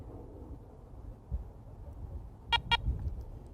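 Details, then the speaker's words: Garrett ACE 400 metal detector, power button held about five seconds: two short clear high beeps close together, confirming factory reset, switching to coins mode. "you hear that double beep you'll also notice that it has switched to coins mode which is the factory default setting"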